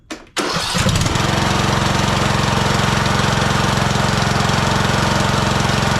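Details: Husqvarna TYH18542 riding mower, Briggs & Stratton 18.5 hp Intek single-cylinder, after an oil change with oil slightly overfilled: short crank, catches at once and settles into a steady even putter about four beats a second; healthy.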